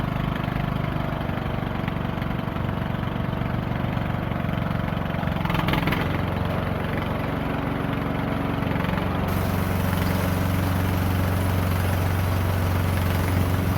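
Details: Poulan Pro 18.5 HP lawn tractor single-cylinder that quit in use, after oil change and a new push rod: steady even low thrum, no tapping or misses; works good.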